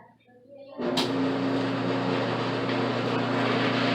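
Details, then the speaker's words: Whirlpool/Kenmore electric dryer after door switch replacement: quiet, then a click and the motor comes up to a steady hum with even drum rumble; opening the door stops it, so everything is working properly. "we actually opened it down it will be stopped all right so let's say everything working perfectly"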